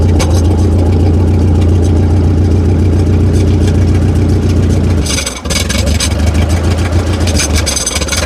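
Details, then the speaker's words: 70-year-old Massey Ferguson TO30 tractor not getting enough fuel, running only on choke during carburetor adjustment: a low, steady chug sags and nearly dies, then picks back up unevenly. Rough running, near stall. "at least it runs a lot nicer now it just doesn't want to run without choke at all"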